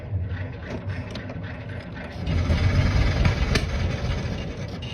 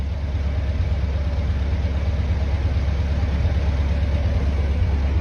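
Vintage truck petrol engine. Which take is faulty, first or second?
first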